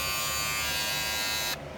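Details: Wahl premium red clipper guard after the fix of bending its small metal piece: steady high buzz of the clipper with guard fitted, even and free of rattle, then switched off.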